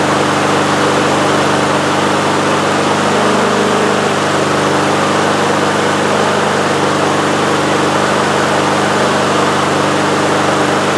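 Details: Husqvarna HU800AWD lawnmower with a Honda GCV190 engine, started with the air filter off to watch the choke: steady, even drone at constant pitch with no misses or knocks; normal running.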